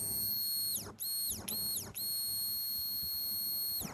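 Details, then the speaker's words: Bajaj Dominar 400 that stood 4–5 months and would not prime its fuel pump at key-on, pump powered directly after repair and before reassembly: a high, thin electric whine switches on and off several times, pitch sliding down as it spins down; priming normally. "Okay, prime ആവുന്നുണ്ട് കേട്ടോ. കേൾക്കാമല്ലോ, sound കേൾക്കാമല്ലോ."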